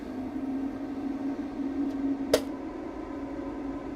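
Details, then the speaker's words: HeatStar 38,000 BTU forced-air propane heater with Quiet-Burner Technology, plugged in and propane opened: steady fan hum, then a single sharp igniter snap and clean light-off with no rough popping; normal ignition. "All right, so plug that in. Turn the propane back on. All right, and we go fuel, spark."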